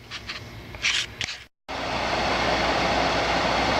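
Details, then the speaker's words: Blower fan salvaged from a non-working electric heater, run on high setting: after a few clicks the fan starts and holds a steady, even airy whoosh with no rattle or wobble; blower healthy. "But we did check it on high. We got it on high. We'll pause here and we'll fire it up so you can see the blower working."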